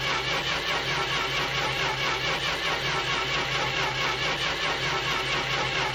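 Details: Corris Rivet cranks with an even, repetitive turning-over at roughly two beats a second but never catches; crank-no-start, cause unknown.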